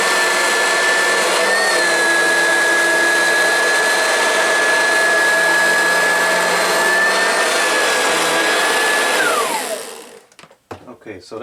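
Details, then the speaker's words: Oreck XL Classic upright vacuum: a steady high whine rides on the motor roar. The noise is gone with the brush roll or belt removed, so the motor bearing is ruled out and worn brush roll bearings are blamed; later replaced with a new brush roll. "to me sounds like a spoiling bearing I don't think that it's the motor bearing because it doesn't make the noise uh with the brush roll or with the belt removed so I suspect it's got to be the brush roll bearing"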